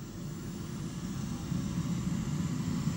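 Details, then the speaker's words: Commercial oil burner that had been locked out (E5), starting after oil heater finishes: fan pre-purge, pump coming in, blue flame; even start; pump pressure a little high (should be about 10 bar low, 22 bar high). "starting to run does a pre Purge pumps going there nice blue flame in there"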